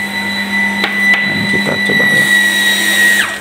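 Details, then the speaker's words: Shimizu booster water pump that ran nonstop, after replacing broken flow switch, tap closed: even motor hum with steady whine winding down and stopping; normal automatic shutoff. "Oke, Pak. Sudah bagus, Pak. Dan penanganan flow suite kali ini, mesin pendorong hari ini sukses ya, Teman-teman."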